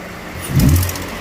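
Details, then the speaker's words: 2014 Ford Explorer, engine revved while listening through a clear hose at the bottom of the exhaust manifold: a rough hiss rising and falling with throttle plus a little squeak at the end, as exhaust escapes past the lower manifold gasket. "It's coming right from where that gasket is. You hear it too, and it's just, and you hear that little squeak right at the end of it, and that's because the air is escaping past the gasket, and it's just barely making contact right there."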